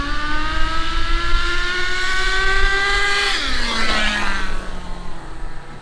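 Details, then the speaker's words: HSP nitro rally RC car with 2-speed gearbox, carburetor just fixed, before gearbox adjustment: engine screams at one high pitch then drops off with no step in revs; two-speed not shifting, suspected adjustment needed. "i do not hear it shifting at all it's not shifting all right well it didn't shift"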